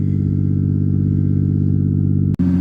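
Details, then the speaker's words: 1988 Ford Ranger, in cab: loud, deep droning rumble at steady revs as muffler fell off, pipe cracked where it enters muffler and mounting bolts missing, probably broken below the passenger seat. "It doesn't help that it's probably broken like right below the passenger seat there,"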